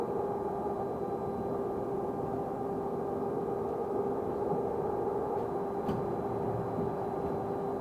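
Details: Stagecoach London North bus SLN 82060 on night route N199 near Catford: a steady fixed-pitch tone around 400 Hz hums over the bus noise without changing. Constant-pitch whine, source unknown.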